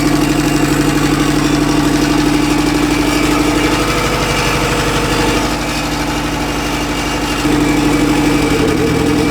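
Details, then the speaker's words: Big-turbo Honda Civic engine driven home gently after blowing out oil, suspected worn rings; lumpy uneven idle stumbling about twice a second like a tractor, smoke from exhaust, cylinder number three dead and not firing. "she's on less than four cylinders but we're gonna make it i think we're about 10 minutes away from home i'm really taking it easy it sounds like a tractor it sounds horrible there's smoke coming out of the exhaust"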